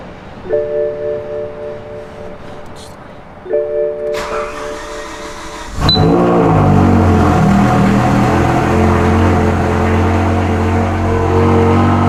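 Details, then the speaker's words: BMW E63 M6 (S85 engine, almost 20 years old) on first start after a cylinder 8 misfire was fixed with new spark plugs, new coils and cleared codes: a strong, smooth, even drone with no stumble or miss. "M6 is running good again. Just a slight coil and plugs."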